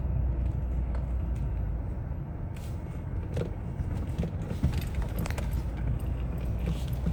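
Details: 2005 Citroën C5 driving on road: sharp, irregular short dull clacks over a low road rumble from a knocking steering rack.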